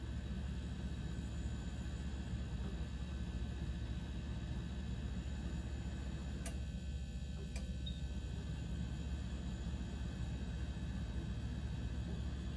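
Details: KitchenAid fridge model KSCS25FVMS01, cooling works: steady fan and compressor hum, then a click and chirp as the fan pauses briefly; faulty control board, fixed by a board repair.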